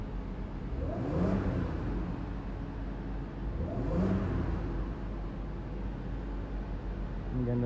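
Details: Audi Q7 after replacing the faulty ignition coil that caused a cylinder 4-5-6 misfire and blinking check engine light: revs rise and fall twice smoothly and cleanly with no stumble or popping; engine pulls freely and sounds healthy.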